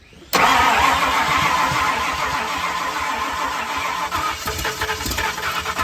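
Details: 1970 Ford Falcon with a budget-rebuilt 5.0 V8, first start attempt after the rebuild, on a battery low on voltage and not yet charged. Steady starter churn with rough, uneven firing that never catches into a clean idle; cranks but won't start, cause unconfirmed.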